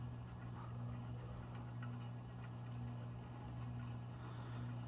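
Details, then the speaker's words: 60-inch antique ceiling fan on low speed, drawing 2.7 amps with a slight lazy wobble: a steady motor hum with a faint scratchy rustle from the bearing, which sounds gritty rather than worn. It probably needs a clean-out. "I said, you can hear the bearing. It doesn't sound like it's worn, it sounds like it has grit."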